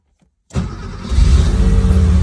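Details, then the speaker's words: Cold start of a CIS-injected car after sitting overnight at about 37°F (9°C), with the frequency valve relay newly replaced: it cranks and catches, revs climb with no throttle, then it stalls; cold-start fuelling fault, cause not found. "I have not touched gas pedal it went up and died"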